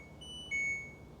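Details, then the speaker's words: LG front-loading washer WM3670HVA that won't spin: high electronic beeps, a short one then a longer, louder tone, flagging the LE code. The motor can't spin the tub, per LG from overloading or a foreign object; owner doubts either. "L okay quick Google search indicates that a code Le is displayed when the tub fails to spin this is right from LG's website error code indicates the motor can't operate properly because you've overloaded the washing machine or a foreign object is stuck in the tub"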